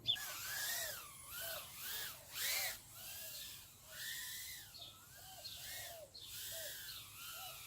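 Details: Mobula7 FlySky whoop quad on the bench, canopy off, configured in Betaflight to spin props only with throttle: smooth whirring that climbs and falls with each throttle blip, clean and even with no rattle; motors running normally.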